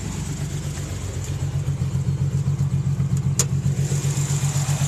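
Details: 1992 Nissan 300ZX non-turbo, newly acquired on a trade: the idle rumble has an uneven lope, a dropped beat about four times a second; one cylinder is misfiring, cause unknown.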